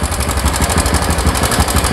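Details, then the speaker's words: Carbureted older Honda Supra X125 idling with busy metallic cam chain clatter, still noisy after tensioner adjustment, which is already at its limit; slack timing chain. "Ternyata suaranya masih berisik ya. Padahal ini sudah saya setel ya."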